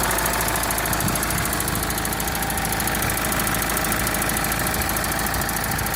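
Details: Mitsubishi L200 4D56T diesel at idle: sharp, regular ticking knock about three per second from one injector. Began at 70,000 km; at 98,000 km valves were adjusted and injectors bench-tested fine, yet the knock stayed and stops on throttle release while driving.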